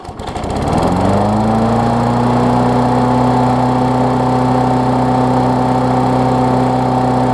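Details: Briggs Classic engine swapped onto a Bolens push-mower deck, running while a newly wired ground kill switch is tested (the plastic frame later proves to block the ground): pulls up to speed within a second, then a steady, even drone with no misses or knocks; healthy.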